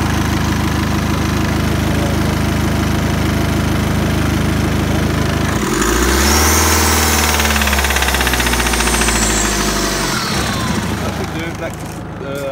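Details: 2012 BMW 520d diesel, 60k miles, automatic, idling cold with a steady, fairly regular knock through the low rumble, then revving up and settling; cold-engine knock, cause not yet known.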